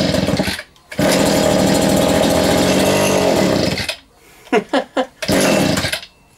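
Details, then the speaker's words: Vintage Echo two-stroke strimmer, spark not yet checked, first start attempt: harsh buzz runs about three seconds, then dies and sputters in bursts. Owner sees bubbles in the fuel line and suspects a blocked carb diaphragm; fires briefly. "so we have got some ink so he's gonna run we do know it's gonna run now then how well were you running that's the question"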